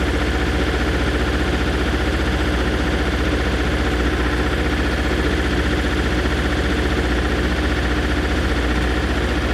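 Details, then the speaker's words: MEP 803A diesel generator running on JP8, cold, after leak repair and air purge: rough, lumpy, uneven beat as one cylinder drops out then catches up, a misfire; cause not confirmed. "That's definitely a cylinder not firing correctly and then catching up. Yep. That's definitely a cylinder not firing right."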